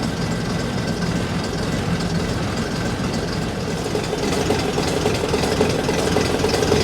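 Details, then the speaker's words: AEC Matador 7.7 litre AEC diesel, just refitted with an overhauled injection pump and injectors, on a cold day: warming up, still a bit smoky, heavy idle with an even, steady low beat, no knocks or misses; healthy. "It's starting to warm up now. Still a bit smokeoky, but don't sound too bad."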